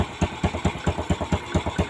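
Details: Single-cylinder motorcycle after repairing a stripped spark plug thread without engine teardown, new D6 plug and new plug cap fitted: even thumps about four or five times a second, no misses; idling healthy.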